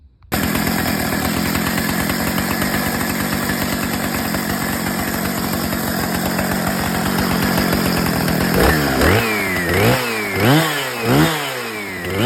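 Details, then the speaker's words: Husqvarna 455 chainsaw, two-stroke, restored from basket case with reassembled carb, first run: buzzes fast and steady without dropping to proper idle, revs swing up and down; idle too high, needs carb adjustment. "Need some carb adjustment. You guys saw the idle was too high."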